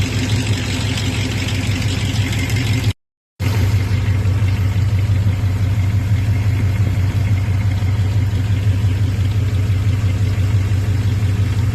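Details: Hot-idle rattle on a 5.9 (360) Magnum V8, low rumble with light fast rattling pulse; persists after flex plate and torque converter replacement, disappears with acceleration, absent at cold idle; cause unknown.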